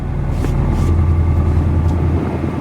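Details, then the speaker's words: FRS just after installing solid transmission mounts: deep uneven idle rumble with low throbbing drone, very rough startup, vibration felt through transmission and drivetrain; everything tight, owner suspects bracket, unconfirmed. "so i don't know it just sounds like it's running rough it might just be the bracket everything's tight so i'm just gonna i guess take it for a test drive and see start off with yeah there's a vibration in the drivetrain here uh you can feel this whole thing just vibrate"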